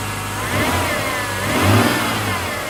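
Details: Mitsubishi 6G72 V6, cold engine idling and blipped. A light tapping under the revs rises with engine speed; the knock lasts 1-2 minutes after a cold start, then goes away. The owner suspects the hydraulic lifters, unconfirmed.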